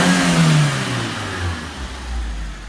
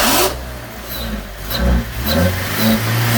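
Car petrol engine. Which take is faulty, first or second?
second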